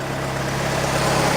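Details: Scout four-cylinder, idling ready to work: even low putter with steady hum, no misses or surging, holding speed cleanly.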